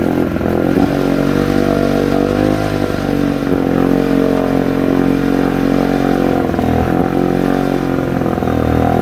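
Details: 1972 Sea King (Chrysler) 35 HP outboard, first start in nearly 20 years after replacing flywheel/ignition cam key, shift lever tied in neutral: fires and runs with uneven, wandering beat and clatter; needs tweaks and fuel pump rebuild.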